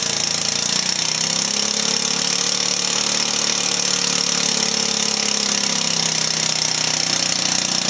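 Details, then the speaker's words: Volecity 150cc scooter with a newly hooked-up throttle cable: a harsh, raspy buzz with a wavering drone; it keeps running only on throttle and runs rough, cause unknown. "now if you can hear me this is running off to throw gas"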